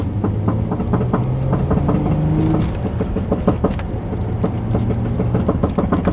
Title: G35 front driver side rattling noise